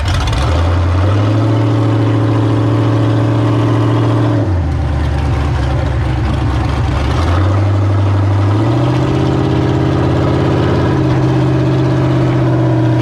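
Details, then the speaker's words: Mod figure 8 race car V8 after power steering pump replacement and air bleeding: loping idle, then clean steady revs and back down without a miss; running strong, ready to race. "ow she's running good pretty much ready to race"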